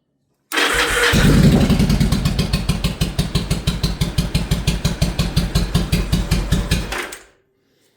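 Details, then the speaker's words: Yamaha V-Star 1100 with fully rebuilt carbs, fed from an auxiliary fuel tank after priming the pump: catches quickly and settles into an even, lumpy V-twin thump, steady and clean until shut off; runs healthy. "Carbs have been completely rebuilt and yeah, we we got it to fire."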